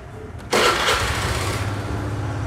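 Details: Honda Air Blade 110 fuel-injected scooter after fault codes cleared and ECU reset to defaults: catches after short crank and settles into steady even idle, no stumble or misfire; normal start and idle.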